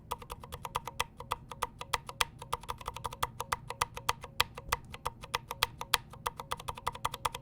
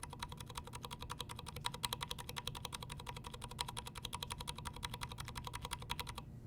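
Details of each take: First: KBD75V2 brass-plate keyboard with 62g Aqua Zilents switches, unlubed springs: each keystroke rings with a thin metallic twang after the click; switch spring ping. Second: lubed there's like there's hardly any ping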